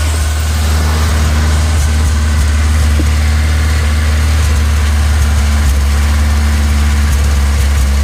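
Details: 1986 Ford Ranger 2.3L four-cylinder with ongoing misfire problems despite many parts changed: deep loud idle with shaky uneven rhythm and occasional stumbles; rough idle with misfire, though owner thinks it is only slightly misfiring at that moment.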